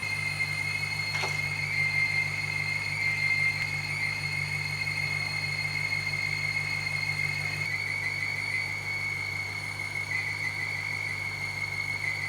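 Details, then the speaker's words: BMW 550i with N62 engine at idle: thin, steady high-pitched screech, like a bearing running dry; owner suspects a belt tensioner or pulley, earlier thought AC compressor or power steering; engine squeal, not confirmed. "all right i'm actually thinking it's probably a tensioner or a uh pulley or something over here sounds sounds like something's running dry like a bearing's running dry i would think it's gonna be something uh belt related"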